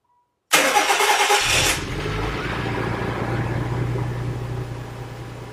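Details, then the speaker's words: 1990 Nissan 300ZX Twin Turbo (Z32) after dual intake install with added MAFs and Selin dual-MAF translator, vacuum leak capped: starter whirr, clean catch, quick rev, smooth steady idle; normal start and idle. "Too shabby. I really wish you could hear those turbos spool up, but that's another day."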